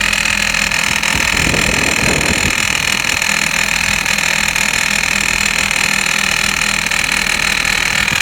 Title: 2006 Hummer h3, rattling noise after replace serpentine belt